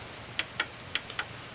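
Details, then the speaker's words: Fuel injector for 2JZ-GE NA-T swapped 1987 Toyota Supra, bench-tested with power applied: crisp, sharp clicks each time wire connected and fuel sprays; the one working injector, others from eBay dead. "This is what it should sound like. This is the one that does work. And you can hear it click when I hook the wire up."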